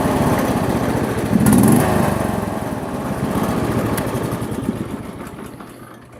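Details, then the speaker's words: John Deere LX172 lawn tractor, sat unused likely over a year, after repair: fires, picks up revs without stumbling and eases back to an even putter. It previously stalled before the first throttle notch and now takes throttle cleanly. "You couldn't even get to the first notch without it wanting to stall. Now it revs up perfectly fine."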